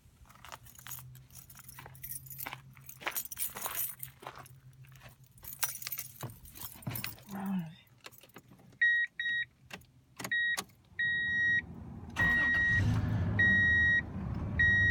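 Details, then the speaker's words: 2002 Toyota Tundra 3.4 L V6 with a cold-start belt squeal, after tightening the belt: keys rattle, door chime beeps, engine starts and settles to a steady idle with no squeal; fixed. "No more squeaking. Nice and good."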